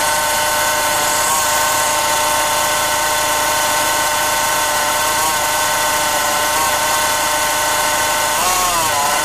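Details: 2007 Renault Clio diesel running: a steady high-pitched whine-like tone over the engine, wavering slightly near the end; owner asks for help identifying the source, which cannot be pinned down; unidentified engine noise.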